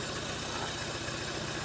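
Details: 2011 Ford Ecosport, Zetec Rocam engine, before repair: lumpy, uneven idle with a limping, skipping beat. Two-cylinder misfire; cylinders 2 and 3 get no coil current because the ignition module isn't grounding.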